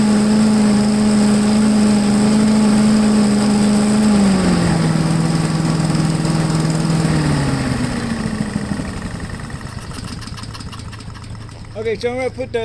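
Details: MTD push blower with 5 hp Honda single-cylinder engine, sat over two years, primed and on full choke on a table: starts, holds a steady buzzing run, steps down in speed, then dies away.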